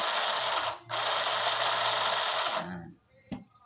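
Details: 12-volt sewing machine with foot pedal, repaired after the needle stopped going up and down: a fast, even buzzing stitch runs for a couple of seconds without snagging; the mechanism turns freely.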